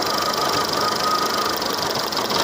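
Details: Seat Ibiza 6L 1.4 petrol with engine warning light on, misfiring and running on three cylinders with bangs from the exhaust; shaky, uneven, stumbling idle close to stalling, rough idle from dead cylinders, traced to a failing ignition coil.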